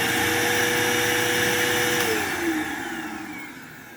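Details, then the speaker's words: Bissell vacuum with good belt and brush roll running: high motor whine sounding choked and clogged, sagging in pitch as it spins down; owner suspects a filter so dirty it is invisible, needing replacement. "It sounds a little clogged. I assume the fact that I can't even see the damn filter is probably why."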